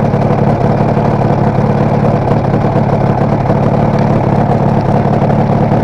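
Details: Kawasaki KR250A two-stroke twin at idle, tachometer moving oddly for the last three or so runs: loose, uneven beat with occasional stumbles; owner suspects misfire on a cylinder, earlier thought meter was failing; uneven idle.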